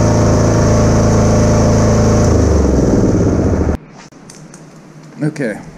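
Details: Kubota A3500 generator, about 10 hours use, cleaned carburetor, new gaskets, air filter and spark plug, uses some oil: steady, even drone holding constant speed, no misses or surging, then drops away; proper voltage output; normal running.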